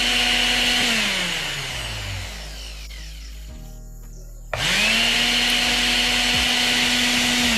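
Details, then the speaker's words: Mixer grinder motor that was very noisy and would not run, after oiling and refitting the rear bearing ball under the armature: spins to a clean steady whine, coasts down and restarts smoothly with no noise; normal motor run. "আপনারা এখানে দেখতে পাচ্ছেন যে আমি যখন চালালাম মোটরটি এখন খুব ভালোভাবে একদম স্মুথ রান করছে আর কোন শব্দ হচ্ছে না"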